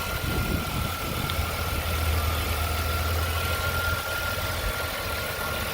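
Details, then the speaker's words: 2001 Chevrolet Impala that hesitated, cut off and wouldn't restart when hot, after ignition coil/module replacement; steady low hum with even rhythm and faint constant whine, no misfire or knock; normal idle, now running fine. "so we replace this ignition coil and the car now is running fine beautiful"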